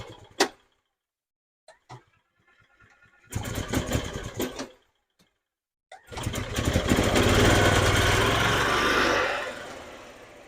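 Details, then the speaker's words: 2012 EZGO TXT golf cart, previously no start with spark and fuel, just fitted with new carburetor, fuel pump and fuel filter, cold: coughs and false starts, then runs unevenly, surging and fading; rough running. "well it runs now not very good let it warm up"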